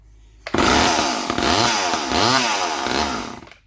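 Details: Vintage Poulan S25DAV (Super 25) chainsaw, fuel poured into the carb, throttle held wide open: fires on the primed charge, revs raggedly about three seconds then dies; not drawing fuel, cracked fuel line suspected.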